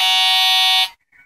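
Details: Alienware M14xR2 laptop: a harsh buzzing tone lasting under a second where a clean system sound should play, badly distorted output; failing integrated sound card suspected, later fixed by replacing the motherboard.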